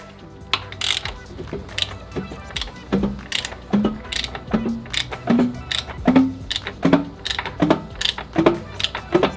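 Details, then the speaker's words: Subaru STI with fully built EG33 H6 engine, turned slowly by hand: heavy metallic clunk about once per rotation; crankshaft bearings confirmed worn out, engine lost. "you can't hear that that is uh clearly the bearings uh on the crank so that sucks"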